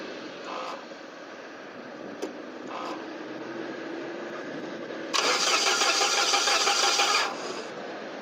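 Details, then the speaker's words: SAAB 9000 abandoned five years, new battery fitted, direct ignition cassette disconnected: steady starter whirr with even turning-over beat about three per second, never catching; cranks freely, drive belt spinning. "let's try to crank it now with a disconnected direct ignition cassette and see what happens"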